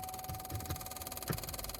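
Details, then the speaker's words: GMC Acadia, locks on one door and windows not working, smell of smoke: thin steady electrical buzz with faint pulsing flutter from the door, louder with ignition on; door electrical buzzing, owner suspects a broken door panel piece. "so my guess is probably that that piece panel right there this piece panel right here it's broken which just sucks because it's starting to smell a little bit weird"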